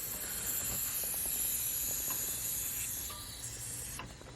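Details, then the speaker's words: Turbo ambulance project at high idle after turbo mounting: a sharp, steady high hiss over faint cranking ticks; air leaking from a loose screw at the turbo pedestal, with oil also seeping there. "What is that leak? That doesn't sound good. We've got air coming out somewhere."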